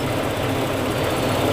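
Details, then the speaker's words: 2000 Toyota Kijang Krista 1.8 EFI after oil change, at operating temperature and settled to ideal idle: soft, steady even hum, no knocks, misses or surges; normal warm idle. "Nah ini ini sudah tercapai suhunya dan dia sudah masuk ke ideal saudara ide suara mobilnya jadi lembut kayak gini"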